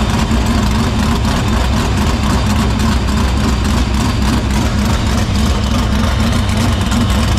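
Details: Dirt Silver Crown race car engine fired in shop after fixing fuel-cell vapor lock (line repaired, filter cleaned): deep loud steady rumble, even idle, no misses, running cleanly.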